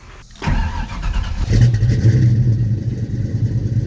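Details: 1989 Ford Mustang 5.0L, Vortech V1 supercharged, sat about 15 years, new mini starter replacing a locked-up one: brief crank, engine catches within about a second and settles into a steady, even run; clean start.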